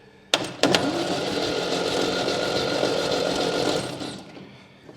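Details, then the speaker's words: Long-dormant 1971 MGB parts-car engine on compression test, battery not fully charged: starter drags the engine slowly and unevenly, about three labouring compression strokes a second; slow cranking from weak battery, 105 psi reading. "Now this battery isn't 100% fully charged, so we'll see how well it works."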